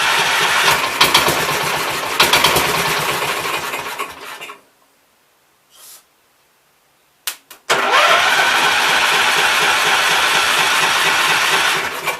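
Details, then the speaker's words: 1969 Gravely 432 single-cylinder engine, points eliminated, running on carb cleaner: rough uneven bursts, cuts out, restarts; sounded like hammering a little, possible knock not confirmed. "alright sounded like it was hammering a little bit"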